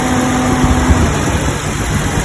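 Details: Jeep Cherokee XJ 4.0 after its noise was diagnosed and fixed: steady, even idle with a smooth low hum and no squeal or chirp from the belt; engine and belt drive running normally.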